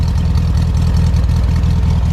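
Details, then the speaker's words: 1969 VW Beetle with 31,000 miles, idling in neutral right after starting on reserve fuel: a steady, even low chuffing air-cooled beat with no knocks or misses. The idle is smooth and healthy. "there we go fired into action it says that I've got reserve tank so we are going to fill it up and as you can see making that beautiful noise"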